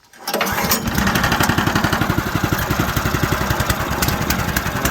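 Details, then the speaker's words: Harbor Freight sawmill engine cold-started on the first pull with choke on and throttle slightly raised: catches within a fraction of a second and settles into a steady, even chug around four beats a second; normal start and idle. "Got the throttle down on it, touch the throttle up here. And then we'll crank it and see what happens."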